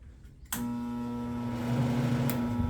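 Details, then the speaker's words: Water distiller switched on with a click after adjusting its control, then a steady even electrical buzz with no rattles or knocks; runs normally and should shut off automatically at about four and a half inches. "you go so you can hear it buzzing away right and then when it gets to about four and a half inches it's going to turn off automatically"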